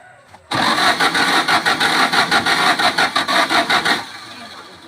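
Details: Used Volkswagen Beetle that won't start: starter cranks steadily about three and a half seconds, roughly three pulses a second, engine never catches; crank, no start.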